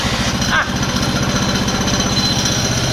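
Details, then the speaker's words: Restored Honda GL Pro single with newly fitted CDI, battery, key switch and engine cut-off, kick-started: fires and settles into a steady, regular idle putter with no misses or knocks. Ignition healthy. "Mesin menyala Kak. Seperti itu."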